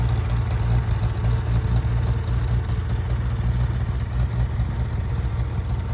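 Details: Farmall tractor (1949 H or 1968 656, unclear which), troubled by fuel problems and cutting out; carburetor adjusted after it hadn't run over 30 seconds, coolant was 2.5 gallons low. Deep, even low rumble with steady beat, no stumbles or clatter; normal running.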